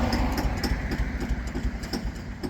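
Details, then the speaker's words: Bulldozer diesel keeps chugging with a slowing, fading beat after the fuel was shut off, running on before finally dying; engine wouldn't shut down on fuel shutoff, cause unknown. "there we go, finally shut off. I shut the fuel off on it, it wouldn't shut down."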